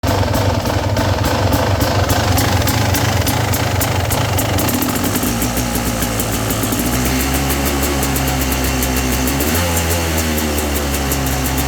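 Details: 2017 XT two-stroke dirt bike at steady throttle runs unevenly, stuttering and dipping, also while riding with surging and sometimes faint cylinder knock; jetting 38/162/NECW3, near sea level (150 ft), about 60°F.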